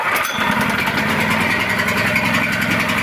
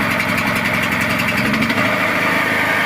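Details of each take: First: Gasoline portable generator started cold on a cold day with the choke closed: a small engine runs fast but unevenly, its beat stumbling as if misfiring, until the choke is opened. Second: Small petrol generator on a cold day, running at a steady, even idle with a constant buzzing hum once the choke was opened, after running rough with it closed; normal idle.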